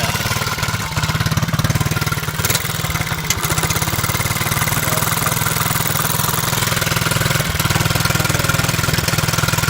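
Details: Honda Z50 single-cylinder idling with choke half down: fast, loose puttering tick following firing pulses from an exhaust leak whose exact location is still being sought.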